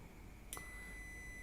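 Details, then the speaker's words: Second multimeter for laptop repair, diode mode, probes touched together: a click, then a single steady high beep, unlike the first meter, which stays silent in diode mode. Normal continuity beep. "Beda dengan ketika saya menggunakan yang ini. Nah, ketika ini saya satukan, ini akan bunyi."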